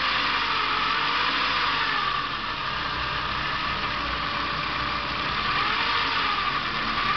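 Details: Saab 900 2.0 Turbo idling, oil level normal, starts and accelerates fine: steady run with hissy airy rush and faint wavering whistle; intake hose leak, fixed by replacing hoses.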